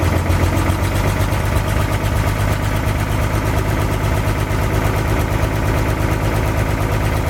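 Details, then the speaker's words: 1962 Chevy K20 V8 first test run after rebuilt carburetor, cleaned distributor points, temporary gas supply and wiring: low steady idle rumble with occasional faint stumble, slight skip of unclear cause. "cool it's hard to tell but it sounds like it's got a slight skip to it aside from that I'm pretty darn happy"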